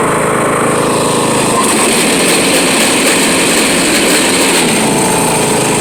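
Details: Riding mower running with the deck lowered: loud, harsh, raspy grinding over the engine, staying rough throughout; the deck belt was found loose, cause suspected, not confirmed.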